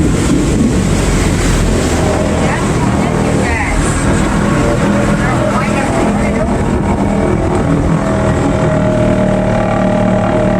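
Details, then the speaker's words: Bayliner Bowrider 175 with MerCruiser engine on a lake run after a new ignition control module fixed timing that would not retard on acceleration and caused pinging. Steady drone climbs smoothly under throttle with no pinging or knock. A few timing tweaks remain. "The boat run's good. Have a few tweaks I have to do on the timing, but other than that, alleviated the pinion issue, which is I'm scared to death of pinion because I really don't like holes in the piston."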